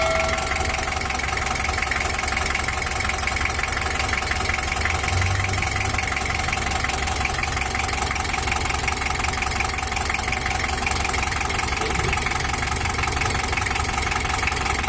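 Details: 1982 Toyota Hiace LH11 diesel, treated for overheating and rough running, after injection pump service and setting plus a larger L300 fan: steady, even idle clatter with no misses or surges. It runs smooth and healthy.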